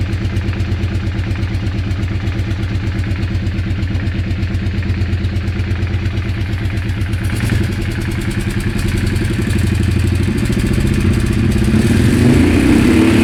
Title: Weird engine sound